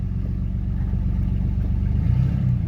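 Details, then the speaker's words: Modified truck after a jump, first gear gone: shifted into second, steady low engine rumble with even pull and no slipping flare, clunks or whine; second gear works fine. "I mean it's obviously working I don't want to drive over the curb"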